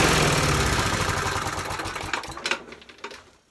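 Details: Hayter Harrier 41 petrol mower that had been surging, test-run after a carburettor clean. It runs evenly without surging, then is shut off and coasts to silence: normal running.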